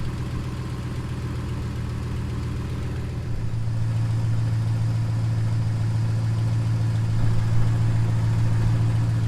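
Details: 2015 Ram with 5.7L HEMI, just started after water pump and 180-degree thermostat replacement and coolant refill, checking for leaks: steady, even low hum settling slightly deeper, no knocks or ticks; smooth, healthy normal idle.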